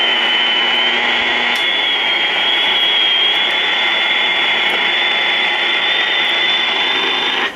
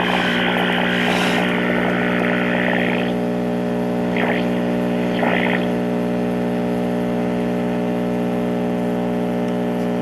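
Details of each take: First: 1952 Trav-ler 5171 AA5 tube AM radio after recap and tube replacement, daytime: a station about 45 miles away plays steadily with only light hiss, no crackle, dropouts or hum; receives cleanly. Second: 1952 Trav-ler model 5171 AA5 AM tube radio, first power-up before recap: loud steady low mains hum with a faint signal trying to break through; hum from failing filter capacitors needing replacement.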